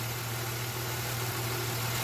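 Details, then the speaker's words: 2006-07 Jeep Liberty petrol engine idling after swapping cylinder 1 and 3 coils and wiping water off the coil: smooth steady drone, no misfire, no code returned yet. Normal idle. "it's weird you don't see a misfire no more Cod hasn't come up yet I'm going to take it for a spin in a little bit but right now it's just running pretty smooth"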